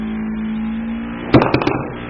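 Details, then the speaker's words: ST1520 3D vacuum sublimation mini press, vacuum started with the air hose on the mold cover: a steady low hum, then short rattly bursts as the plastic cover pulls down. The pump runs normally. "attach the air hose to the mold cover and start the vacuum button. You can see the plastic cover is getting vacuumated."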